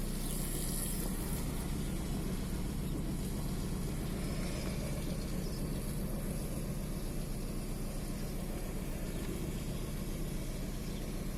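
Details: VW 1.9 TDI AXR diesel at quiet idle, shaking with an uneven, lumpy beat about twice a second; fault code 16688/P0304 intermittent cylinder 4 misfire, cylinder 4 deviation 2.99 mg.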